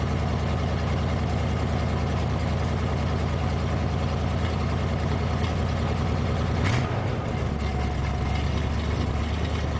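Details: 1987 Ford F350, 351 Windsor V8, after a cold start following two weeks sitting: deep, even V8 burble holding a steady idle with no knock, tick or miss while warming up; normal idle.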